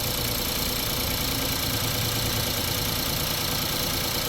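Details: 2017 Honda Pilot with customer rough-running complaint, a connector being jumpered and disconnected: uneven, lumpy idle with irregular pulses and a shaking drone; engine shaking badly, cause not yet pinned down.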